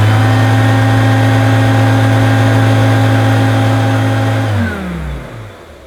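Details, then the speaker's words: Hoover U2716 Turbopower Boost bagged upright vacuum, first run after plug check: smooth, steady low hum with even whir, no rattle or scraping, clean spin-down at switch-off; motor running healthy and relatively quiet. "that sounds good and the relatively quiet actually I think that sounds pretty good"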